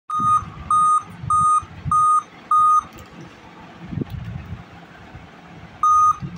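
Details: Dell Vostro 2420 laptop at power-on: five even mid-pitched beeps, pause, repeat; RTC fault from a weak CMOS/BIOS battery below 2.8 V, fixed by replacing battery and updating BIOS.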